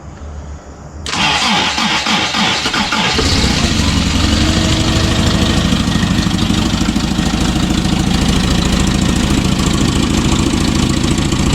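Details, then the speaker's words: Toyota RA40 with 22RE engine, first early-morning start on a frosty day after rewiring cold start injector power from starter solenoid: about two seconds cranking, then catches and settles to steady idle; normal cold start. "that was pretty good for a stop this cold on the slate"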